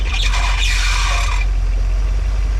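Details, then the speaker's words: 1975 Dodge Holiday Rambler motorhome, first start after sitting about 20 years, warm at 180–190 degrees with about 30 psi oil pressure: shrill steady squeal over low idle for over a second, then cuts out; slipping power steering belt. "I mean wow we got a we got a power steering belt acting silly but"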